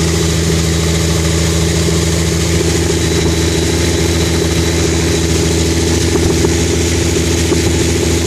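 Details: Engine idling after freezing at about -13°F and thawing, with fresh stronger mixture and rotted exhaust hole: loud raw idle with uneven lumpy beat about three per second under exhaust roar; rough running, possible misfire.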